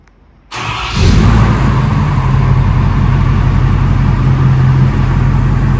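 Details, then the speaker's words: Truck started after transmission topped off, warming to operating temperature with new tune, catless downpipe and 4-inch muffled exhaust; quick starter catch then deep, even idle rumble holding steady; normal start and idle. "Think about the exhaust. It sounds good. We went with a 4-inch muffled exhaust, so we do have a muffler here, keeping it a little tame."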